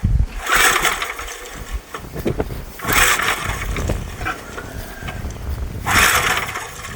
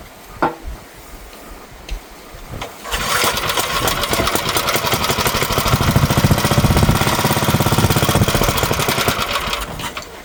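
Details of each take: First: Old auction Gravely walk-behind tractor (Power Craft engine), with only a little fuel added: three pull-cord yanks about three seconds apart, each a brief chug that dies away; it turns over but won't start. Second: Dead-battery Gravely walk-behind garden tractor from an auction, electric start, jump-started with cables: a couple of faint clicks, then the starter spins the engine over with a fast, fairly steady chug for several seconds; cranks normally.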